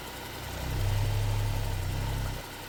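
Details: Vauxhall petrol engine just started at 52 degrees, after fixing P0171 rough idle and excess suction (purge valve changed), now with no fault codes: smooth idle, briefly swelling with a light rev, then settling back evenly.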